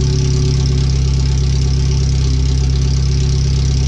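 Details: Car on first start after new header, fuel filter and differential work, O2 sensors moved, running on header only with no exhaust: loud, deep, raspy open idle with steady throb; computer reading 5-7% rich.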